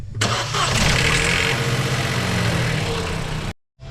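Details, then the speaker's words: Vauxhall Corsa 1.0 XEP petrol engine on start-up: harsh metallic rattle through the first seconds from a stretched timing chain, before timing chain replacement. "Come on mate, and we're going to be doing a timing chain on this little 1 litre XEP, and the reason why we're changing it I'm going to show you now. I'm going to give it a big start and you should hear it rattling."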